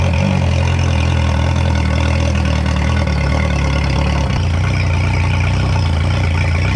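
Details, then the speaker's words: 2011 Yamaha T50 outboard, previously ran rough and died on choke; after new fuel line, bulb, thermostats and spark plugs, fuel pump heard priming: steady deep idle on choke, no stumbling or dying; normal idle. "If this thing, if I can hear the fuel pump prime up, we are good. I hear the fuel pump now. That's a good sign."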